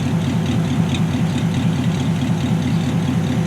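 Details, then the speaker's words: Hopped-up Ford flathead V8, estimated around 200 hp, with 5-speed, 12-volt wiring, electric fuel pump and dual exhaust, idling after a service with new belts and plugs: even, loping idle of about two beats a second, low smooth burble, no knocks. "I think this engine's probably around, I don't know, 200 horse. Listen to that. Just purring like a kitten."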